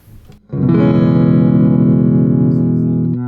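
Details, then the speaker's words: Electric guitar played through the D comp pedal into the amp without the silencer pedal: strummed chord rings out cleanly with no crackle; crackling occurs only with the silencer in the chain. "if i' run this exact same setup with just the guitar going into the amp or if I remove the silencer from my setup then it doesn't make that crackling sound anymore for instance"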